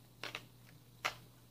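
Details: Technics SX-P30 digital piano, about 20 years old, after reassembling key mechanism: a few crisp single clicks as keys drop and return, no rattle or sticking, faint mains hum; key action working normally.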